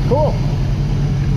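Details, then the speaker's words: 1977 Pontiac Trans Am V8 restarted after carburetor rebuild and plugging vacuum leaks, electric choke and accelerator pump now working; steady, even low rumble with no misses or stumbles, better throttle response, running cleanly. "yeah I've got a few vacuum leaks plugged up that's electric choke working I guess it works yeah that's a lot better it's got better throttle response the accelerator pump is actually working now"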